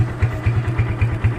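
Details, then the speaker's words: Kawasaki Barako 175 single-cylinder at idle: even thump about four or five beats a second, no knock or miss; normal idle, though it sputters when revved. "Ayan, normal siya, no?"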